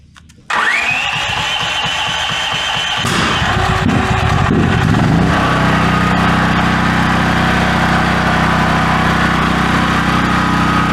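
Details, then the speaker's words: New Duromax 13000 generator, backfiring since out of the box, which ruins the choke stepper motor and stops the choke working: engine catches, then pops and stumbles unevenly before settling; won't idle well, owner hopes warming helps. "sure doesn't want to idle maybe if it gets warm let's let it run for a [Applause] while"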